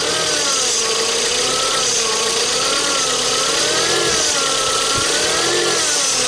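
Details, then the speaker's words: 2005 Toyota Spasio, 166k km, warmed up, idling under the bonnet; wavering mid-pitched whine over the engine. Suspected a bearing starting to go, maybe alternator or air-conditioning compressor, not confirmed. "Ну похоже что какой-то из подшипников начинает подгуз может быть генератора может быть этого кондиционера"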